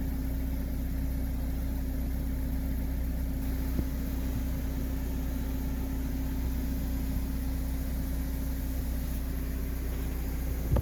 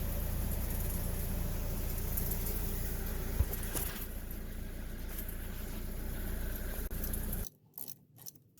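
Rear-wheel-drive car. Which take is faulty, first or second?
second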